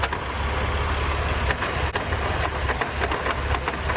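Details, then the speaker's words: Saab 2.8 with a manual gearbox idling: uneven metallic rattle and clatter first taken for a transmission noise, traced to a failing dual mass flywheel; it was replaced with a single-mass twin-disc clutch kit. "Turns out that noise was actually my dual mass flywheel."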